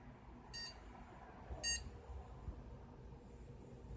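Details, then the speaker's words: PC beep-code test after powering off, discharging capacitors and reseating RAM that had one clip unlatched. Quiet room, then two short high beeps about a second apart on boot, after which the screen hangs unresponsive. Two-beep POST error code. "Hopefully you heard that. 2 beeps, and it goes to this screen."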